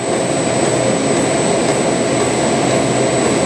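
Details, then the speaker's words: Ice cream machine motor test after replacing cracked bearing that caused a ticking "tig tig tig" noise: loud, steady, even roar, no knocking, grinding or pulsing; the noise is gone. Normal running after repair. "Nawala na yung ingay. Yung dati, yung ingay to, tig, tig, tig, tig, tig, ganon. Parang yun na, may basag na bearing."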